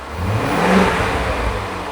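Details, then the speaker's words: 5-litre engine in a wrecked Range Rover, coolant temporarily bypassed, revved to about 3,000 rpm and back down: pitch rises smoothly with no clatter or misfire; no warning lights, engine fine. "Give it a rev. Not too much, yeah? Give it to 3,000 RPM."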